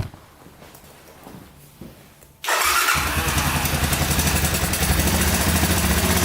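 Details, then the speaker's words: Honda ATC250SX three-wheeler after freeing a stuck timing chain tensioner, valves checked fine: starts, then steady idle with a busy metallic top-end rattle; a loose timing chain is suspected, not confirmed. "oh it's definitely still there i think it's just a loose timing chain"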